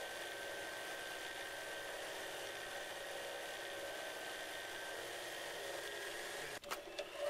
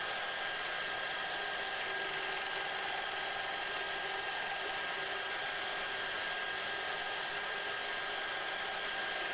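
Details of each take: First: Lathe lubricant friction test, two short steel rod pieces pressed together under increasing pressure with oil replenished: steady strained hum as the shaft slows under friction load, then abrupt cutoff at shutdown; load not enough to seize it. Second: Lathe spinning short steel rod pieces under increasing pressure with TriboDyn-treated oil, shaft heating and smoking: steady, high, even whir holding constant speed without chatter or squeal; the shaft still spins freely, normal running under load.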